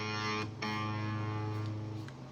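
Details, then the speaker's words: Left-handed Fender Stratocaster after input jack repair and reconnecting the grounding cable: clean plucked notes ring over a quiet background with no hum or crackle; normal output, no buzz, though the pot is a little wonky. "but the really the biggest issue there's no buzzing because the grounding cable is connected back"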